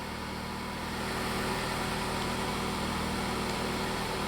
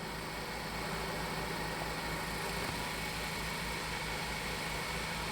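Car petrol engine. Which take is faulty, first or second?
second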